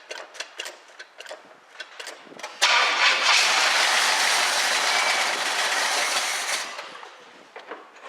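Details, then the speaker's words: 1976 Pontiac Firebird Formula, first start attempt with a little gas poured in carb, fuel line found leaking: quick even cranking for a couple of seconds, then catches cleanly and runs strong before settling; normal start. "that was great it fired right up i'm gonna put a little more fuel in it let it run a little bit longer"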